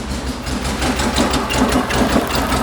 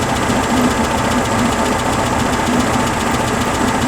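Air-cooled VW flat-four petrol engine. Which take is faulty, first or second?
first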